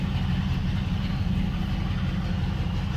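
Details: Carbureted V8 with a Holley/Edelbrock carb and a Carb Cheater self-tuning kit just installed on a spacer: a steady, even low rumble at idle with no misses or hunting.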